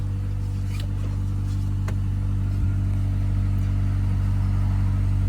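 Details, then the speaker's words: 1997 Honda Accord 4-cylinder, sold as having a blown transmission, check engine light on: held up near redline, even steady hum with no knocks, ticks or misses; engine runs healthy, CV axle to be replaced. "But it runs good. Little red line for a good time."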